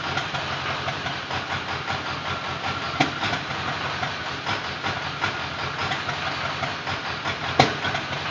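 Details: Ford Powerstroke diesel with a bad injector idling with an uneven lope and occasional sharper knocks breaking the rhythm; misfire at idle.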